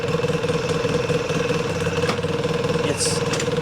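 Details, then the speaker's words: 2006 Polaris Sportsman 800 EFI twin (485 hours, 2,700 miles) idling, shifting into reverse with a jolt: steady whir with uneven rolling rattle, roller noise from the clutch; one-way clutch bearing suspected failing, also hard shifting, stuck in low range. "We can definitely hear the clutch noise. Hear that roller noise? It sounds like the one-way bearing is going out on this thing."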